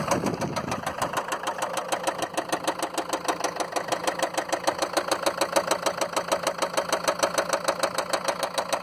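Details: Land Rover Freelander 2 diesel with noisy engine and lots of diesel smoke: sharp, evenly spaced clatter about 200 per minute over idle; diesel knock, owner suspects bad injectors, not confirmed.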